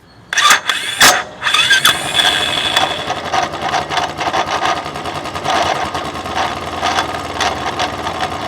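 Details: Royal Enfield Classic 350: engine fires up and settles into a lumpy idle with sharp metallic clicks above it; engine noise, source unclear.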